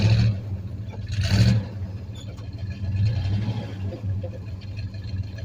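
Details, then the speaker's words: 1985 Chevrolet Suburban being revived after sitting, V8 idling slowly with a deep, uneven rumble and a couple of small revs; idle speed is too low and needs adjusting. "I just love that sound she's idling low boy have to adjust that"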